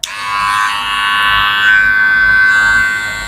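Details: Wahl Senior clipper after cleaning and lubricating the motor and the plastic cam follower, which sounded odd before; after the switch-on click, a smooth even high buzz with no rattle, the motor now running quietly.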